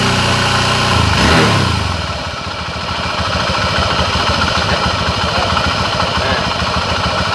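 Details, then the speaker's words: Honda Scoopy scooter with a droning hum complaint: engine blips, then idles steadily with a continuous hum underneath, traced to a worn crankshaft main bearing. "cara mengeceknya itu dengan kita melepas bagian rumah rollernya ya kalau masih bunyi dan itu bisa dipastikan laher bandulnya yang kena"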